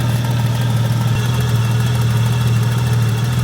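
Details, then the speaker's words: Nissan Skyline R34 after running out of oil on the interstate, idling: low hum with an uneven, loping surge. Ignition timing was about 15 degrees off per the manual; the timing mark still wanders, possibly not tight enough. "It is moving around. It is just dancing around like this. As it's surging like that, it's moving. Yeah. So it's not tight enough? It's like surging again. You can hear it just like rude."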